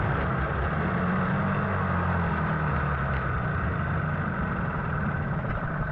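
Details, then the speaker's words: 15 hp Mariner two-stroke outboard that sat 2 years, after carburettor cleaning, warming up: a steady, even burble with no misses or knocks and the telltale flowing. It runs healthy. "Let's just let it warm up for a little bit. Oh, look at that telltale, beautiful."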